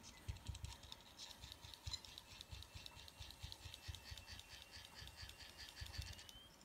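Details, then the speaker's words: Running hard drive (Seagate) deliberately shaken while powered on and running an operating system makes weird irregular clicks, soft seeks and a faint rising whine after shaking; abnormal head noise, drive still survives and works. "this is making some weird noises if you listen they listen oh that seems to have survived that"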